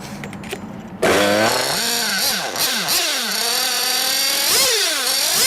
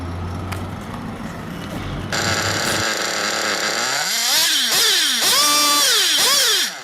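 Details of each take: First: 1/8 nitro buggy engine deliberately run too lean: screams to ballistic, very high rpm and the idle hangs high instead of dropping, because the engine is starved of fuel; lean mixture. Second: 1/8 nitro buggy engine at idle, fuel line pinched: high buzzy idle revs climb for about a second, then sag and nearly cut out as it leans; correct low-speed (bottom-end) needle setting.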